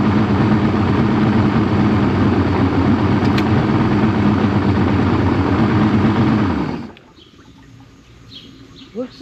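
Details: Outboard running after a crank-no-fire fault was traced to a bad battery: steady, even idle with a smooth low drone and no misses or knocks until it is shut off near seven seconds; normal idle.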